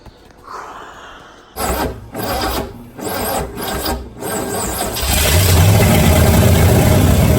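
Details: Power Tour Mustang V8, first start after setting distributor at top dead center, coil powered, checking fuel pump, brief run; cranking catches into a steady deep rumble, even running with no knocks, healthy on first fire.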